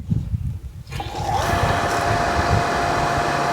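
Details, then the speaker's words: Davey 3/4hp irrigation booster pump with automatic flow switch, fed by 80 PSI well and pressure tank: steady motor hum with faint whine kicks in as water is turned back on; normal booster pump start. "It has a sensor in here so that when I turn the water back on,"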